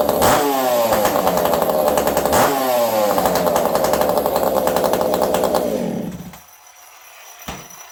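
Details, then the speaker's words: Ported Ironhorse 372XP chainsaw run cold on a cold day: snarls and revs smoothly with a high buzzing note, then dies off; slight lean stumble, low-speed jet richened to compensate for temperature. "Could feel just the slightest stumble, just a little on the lean side, and that is just because it's cold out today."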